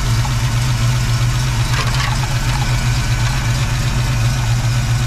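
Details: 1989 Mustang 5.0L Fox body notchback, AOD, EFI converted to Holley 600 CFM Street Warrior carburetor; deep, steady warm-idle V8 burble, evenly paced, no stumbles or knocks; carburettor setup idling clean.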